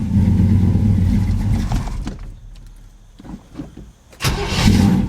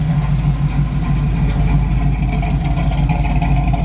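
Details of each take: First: V8 on a cold start, choke apparently not working: it settles into a lumpy, burbling idle with an uneven beat that clears once warm but still isn't quite right. Cause suspected, not confirmed. Rough cold idle. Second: Firebird pulled out and readied for a long road trip, with the air conditioning working. Deep, even V8 burble at idle with a steady low lope and no knocks, ticks or stumbles; it sounds healthy and ready.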